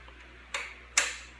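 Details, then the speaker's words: 2002 Honda CBR600 F4i with no spark and no fuel pump priming: two crisp clicks of the kill switch toggling with brand-new relays over a quiet hum, confirming the kill switch works. "my relays are brand new you can hear the click that's me turning on and off the kill switch which verifies the kill switch is ok"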